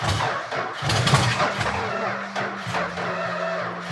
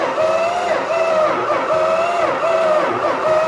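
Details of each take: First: Purple Dodge Challenger first start in 30 years, dry engine with unpumped lifters: slow, laboring crank about one uneven stroke per second, droning starter, no catch; slow cranking, suspected low compression and poorly working valves. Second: Purple Dodge Challenger sitting about 30 years, first start attempt: steady starter whine pulsing evenly as the engine turns over, slowing slightly each stroke; even cranking with compression on all cylinders.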